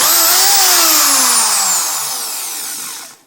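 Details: Power drill after squealing fix (brushes removed, sanded, refitted, gears relubed): high clean motor whine falls away smoothly on trigger release, no squeal or scraping; runs like new.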